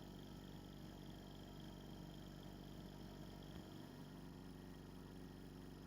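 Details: Scrapyard compressor: steady low hum with an even pumping pulse around four per second, no knocks or rattles; running normally.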